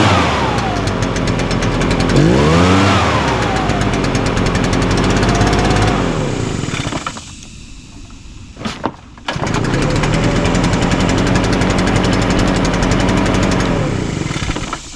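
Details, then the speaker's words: Echo PB-580T backpack blower, run outside after new recoil starter rope, new coil and kill switch repair: crisp even two-stroke buzz holds, dips briefly to idle, picks back up strong and clean; healthy, fixed. "well that sounds good. I think starts easy, runs good, blows hard."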